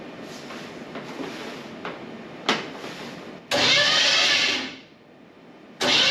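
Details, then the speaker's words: 1957 Chevy Bel Air restomod with a 305 small-block Chevy, first turnover on the starter after mounting the battery and before setting the distributor: uneven, scraping, harsh grinding bursts that stop and restart; it spins but sounds rough, cause unclear. "all right sounds horrible but it spins I'd call that a success for now"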